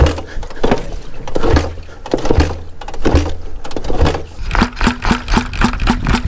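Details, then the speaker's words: 1984 Honda 200X three-wheeler: uneven cranking with a few pops that catch and die, then a short rough run; carburettor floats installed upside down starved it of fuel. "is it going to go back apart not everything but the carburetor I had the floats on upside down so no gas going in now we got that dirty gas going in and it's going to fire right up"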